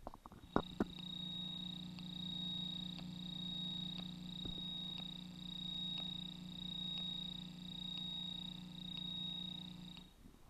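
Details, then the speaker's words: Fender Mustang V2 75 W guitar amp on the clean channel: over the expected constant hiss, a faint, even tick about once a second like a metronome or cricket; amp ticking noise, cause not yet known. "but what I also notice is a tick tock okay which almost sounds like a metronome which I didn't buy here it"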